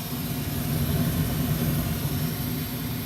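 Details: Old ICP gas furnace with its failed fan timer board replaced, fired up for heat (thermostat turned back down to 62): steady low rumble of moving air, even unbroken hum, no knocks or squeals; blower runs normally.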